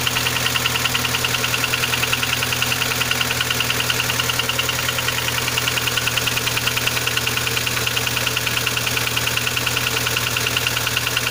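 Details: Kia Sportage 3 engine at a busy idle with fast even metallic ticking about three a second keeping pace with the engine; knock louder cold, quieter warm, present at low speeds, gone at 60-90 km/h, returns on re-acceleration; cause unknown.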